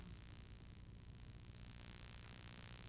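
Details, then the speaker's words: Pyle PMX7BU.5 mixer on an inverter AC supply after fitting an AC EMI line filter: constant low buzzing hum with faint hiss, unchanging; interference hum is reduced but still present, the cause suspected to be EMI. "So you still got hum,"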